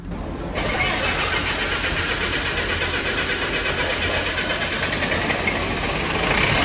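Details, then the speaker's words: Lincoln engine-driven welder, over 30 years old, starting after a service and bleeding air from the fuel system following a filter change: catches after a brief crank and settles into a steady, even idle with no misfire. "It's more than 30 years old and it still purrs like a kitten."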